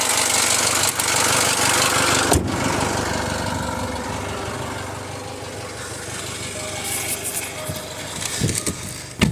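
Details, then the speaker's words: Jaguar F-Pace 204DTD diesel after owner's rebuild, injector sound deadening not fitted: steady idle, loud even injector clatter, no knock or misfire; loud inside the car, owner judges it normal and running great. "it doesn't sound terrible there but it's quite loud inside the car which is surprising"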